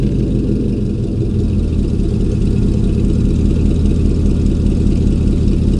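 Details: 2000 Chevy 4.8 V8 truck with four coils deliberately unplugged, running on four of eight cylinders during a light rev-up; lumpy, uneven low rumble with a loping beat and no smooth firing.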